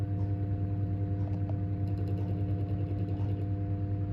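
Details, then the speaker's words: Bathroom ceiling fan: steady hum broken by random chattering clicky bursts for a second or two, coinciding with workshop noise increases; owner suspects data on the power lines, has ruled out blade imbalance or resonance; intermittent burst noise. "this just does it randomly at particular times like now just again I hope you can actually hear it"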